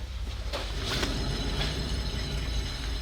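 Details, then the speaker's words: 2013 Toyota Highlander 4WD Limited with 171,000 miles, heard while driving with the microphone close: steady, rough, gritty low humming and grinding from a worn rear driver-side wheel bearing. "we got the winner it's a driver side wheel bearing let me bring the camcorder closer so you can hear it too so listen from the close the microphones are closed hopefully you will hear that grinding humming sound"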